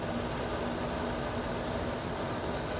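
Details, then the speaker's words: 2009 Amana PTAC unit, fan only, after replacing the loud fan motor with worn bearings: only a smooth, even hiss of moving air with no rumble, whine, grinding or bearing noise; normal fan operation. "all right yeah it's pretty quiet all you hear is the air moving now you don't really hear the um you don't hear the bearings anymore"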